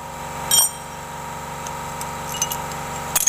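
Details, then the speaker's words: Mitsubishi Mirage with intermittent crackling from the AC compressor when AC on: engine idle steady and even with no grinding from the compressor pulley bearing; bearing fine, as a bad one sounds rough at start. "Masih aman, bearingnya aman, gak bunyi."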